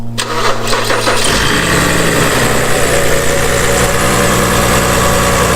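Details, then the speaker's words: 2011 BMW 328 with codes for camshaft position/VCT solenoid and multiple-cylinder misfire: cranks and catches, then settles to a lumpy, very rough idle with a thin steady whistle; vacuum-side fault suspected, VCT solenoid code found, not confirmed. "we're gonna go under the heart of the beast and as you can hear you can eat on a whistle sound and as this clock revs into higher rpms the car starts all idle very rough"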